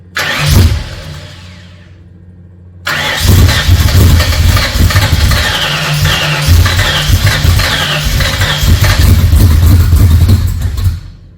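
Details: Freshly rebuilt Ford 302 Cleveland V8, Holley Sniper injection, first start: short crank, catches firmly and holds steady fast idle, no lifter tick or rattle yet; owner won't know until idle is dropped.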